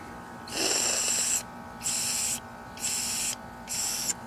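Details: Troy-Bilt TB200 mower carburetor with gas not draining: blowing into the fuel nozzle gives four hissing air bursts, each cut off cleanly as the float needle seats; valve sealing fine.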